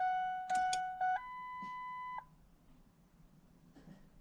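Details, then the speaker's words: 2001 Ford Expedition XLT V8 with a crank-no-start, at key-on: chime beeps, then near silence with no fuel pump whir or prime while the radio and dash lights work; owner suspects the fuel pump. "I don't hear the fuel pump. Radio turns on. The all the pretty lights come on. But I do not have a fuel pump on."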